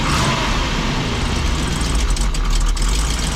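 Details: 1987 Class A Coachmen motorhome gas engine, cold, kept alive by feathering the gas pedal for 2–4 minutes: low, lumpy idle with throttle blips and no fast idle because the automatic choke is inoperative; oil pressure good, alternator charging.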